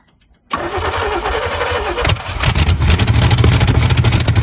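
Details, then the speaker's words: 1970 Chevy Chevelle sat since 1995, cranking with new fuel filter and fuel fed from a gas can: starter churns evenly but never catches; no fuel reaching the engine. "Okay. It's not getting gas at all."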